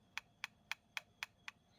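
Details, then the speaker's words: Sewing machine carrier rod rocked by hand gives six light crisp clicks about four per second; normal small play that keeps the machine free, not wear. "এই শব্দটা হওয়ার কারণ হইলো গিয়ে আমার কিন্তু খুব সীমিত অল্প যাতে মেশিনটা ফ্রি থাকে সাধারণ অল্প কিছু সাউন্ড আসে মেশিনটা ফ্রি থাকার জন্য"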